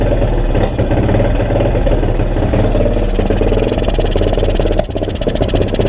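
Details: 2002 Yamaha XT600E single-cylinder at fast idle: uneven thumping beats with occasional stumble and dip; engine misfire, cause not confirmed.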